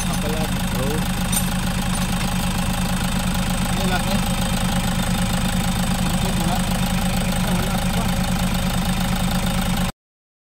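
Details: Toyota HiAce 3.0 diesel after draining algae-contaminated diesel and cleaning the tank: steady, even idle with a smooth low rumble, no knock, miss or shake; the vibration is gone and the idle is normal.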